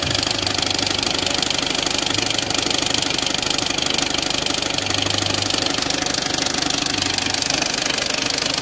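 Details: Peugeot 206 1.4 HDi diesel at idle: loud, regular metallic knocking about three per second over the diesel clatter from a damaged crankshaft pulley, which needs replacing before it breaks.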